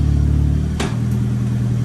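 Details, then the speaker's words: Nissan S15 after gearbox upgrade, running in first gear on the lift; steady even low driveline drone with one brief early click, no whine or grinding; gearbox running normally in gear. "It's running on the lift there now. We're in first gear, we have gears!"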